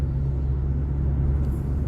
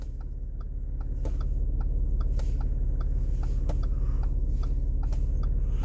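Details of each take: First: Audi SQ5 after panoramic-sunroof and interior rattle-proofing work (broken OEM part replaced, trunk parts tightened), cabin recording over rough road: low steady road rumble; earlier front passenger-side ticks and rattles are now gone, quiet cabin. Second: Audi SQ5 with panoramic sunroof, cabin while driving: light sharp ticks two or three times a second over low rumble, from interior trim at the front passenger side; pressing the trim stops the noise.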